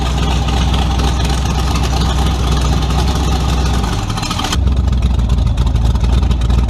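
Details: Tunnel-ram 350 V8 with two Edelbrock 600 cfm carburetors (1405/1406), test after a jet and metering-rod change: loud rough, uneven beat sags near four seconds before picking up. Lean stumble on acceleration, not yet cured.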